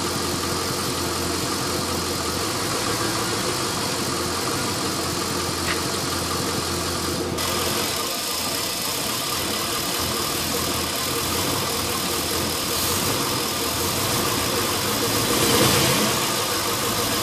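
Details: LS1 V8 after new intake manifold, headers and AIR/EGR delete: uneven, loping idle with a steady airy hiss; rough idle caused by a vacuum leak from an open fitting left uncapped after the AIR/EGR parts were removed.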